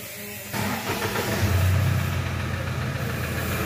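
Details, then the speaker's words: 2007 Toyota Hilux 3.0 diesel with engine noise, at idle after start: a hard regular knock about four times a second rides over the idle. The mechanic judges it a characteristic connecting-rod (biela) knock, and the engine must be opened to confirm. "Isso aqui é barulho característica de biela vai ter que abrir esse motor aqui pra gente ver barulho aqui para mim é barulho de biela"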